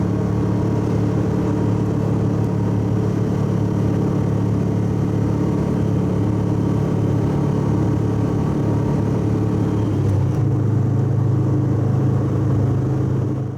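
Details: Subaru wagon at steady idle with its old fiberglass-packed X-Force straight-through muffler: loud, deep, throbbing, boomy rumble; owner finds it too noisy and is replacing it with a Lukey Turbo muffler.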